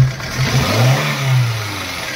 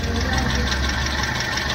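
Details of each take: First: Hyundai i10 after tightening a loose engine/gearbox mount bolt that made the whole engine shake; mount still slightly weak. Three clean throttle blips from idle with smooth rise and fall and no clunk; only slight movement now. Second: Hyundai i10 with loose gearbox mount bolt: steady idle with heavy low shake and coarse knocking undertone through the body; whole engine rocks on throttle.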